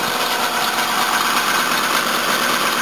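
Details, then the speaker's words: 1984 Toyota Cressida at idle: harsh chirpy squeal from a glazed, worn accessory drive belt, briefly quietened with water; new belts needed; owner also suspects a blocked fuel filter. "That belt's rooted. Got some water. That quietens it up just for a second so you can hear everything, but I got to put new belts on it."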